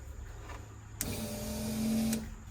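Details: Volvo 245 with turbo swap that runs poorly, fuel pump cycled with the key at the rear plug: short steady electric hum of about a second switching on and off cleanly; normal fuel pump operation.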